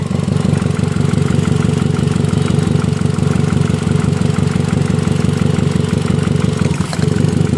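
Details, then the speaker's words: Hyundai i10 with engine knocking and a burst silencer, water in the plug well: rough, lumpy idle about three pulses a second, and pulling cylinder 1's lead makes no difference; cylinder 1 misfires from a broken spark plug. "और यह एक number काम नहीं कर रहा है कोई फर्क नहीं पड़ रहा करंट इसमें आ रहा है काम नहीं कर रहा"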